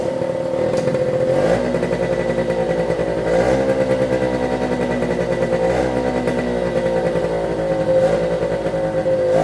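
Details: 1973 Suzuki TS50 two-stroke, first start after full restoration and a one-kick start on choke: buzzes and blips cleanly on the throttle, then settles quickly into a steady run and sounds healthy. Air in the oil pump lines needs bleeding.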